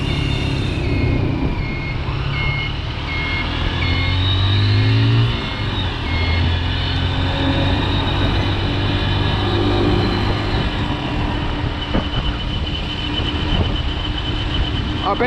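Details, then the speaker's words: Motorcycle in traffic in Vietnam: short high beeps repeating steadily over traffic and engine rumble, like a truck reversing; turn signal beeper working normally. "ist, dass der Blinker piepst. Wie man hört, es piepst und piepst, so wie wenn ein Lastwagen rückwärts fahren."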